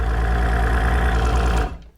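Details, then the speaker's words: Optimax two-stroke outboard, about 80 psi air and 90 psi fuel with fuel pressure leaking down: fast, slightly uneven idle under two seconds then shut off; split, holed fuel pressure regulator diaphragm passing fuel to air side. "See the hole in the diaphragm right there? And look at that big long split there. That was letting fuel come from the fuel side, get onto the air side."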